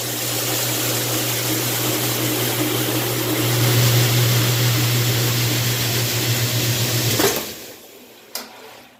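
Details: Washing machine on the drain cycle with the lid switch bypassed by a screwdriver after filling: a steady low pump hum with water rushing for about seven seconds, then a clean cutoff. The water drained and the drain pump works normally.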